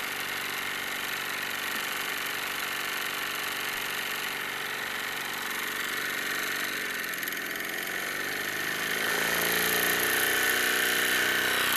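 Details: Wilesco D-18 tabletop steam engine running outdoors in a back garden, throttled down: steady rapid chuffing at roughly four beats a second, even, easing as pressure falls; normal smooth running.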